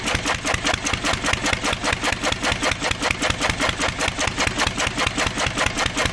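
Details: 1927 IHC M engine, restored 20 years ago and unrun for 19 years, running only on the starting bowl with starter fluid. The AC Delco fuel pump diaphragm is shot, owner believes from old ethanol fuel, and needs replacing. Steady, evenly spaced popping beat, about 2.5 per second.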